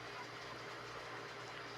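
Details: Electric fan that hummed and needed a push to turn, now running after a new capacitor was connected to the motor's common wire; steady even whir, faint hum, spins freely: normal running.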